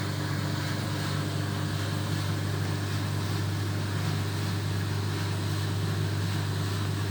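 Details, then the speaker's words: 1970s Creda Compact 3 tumble dryer, 41 years old, original plug, timed dry: constant low motor hum, soft even drum swish, no knocks or scraping; normal running, quiet and smooth. "And I'm going to turn it on, and I'm just going to show you just how smoothly it really sounds. That is quiet and very smooth."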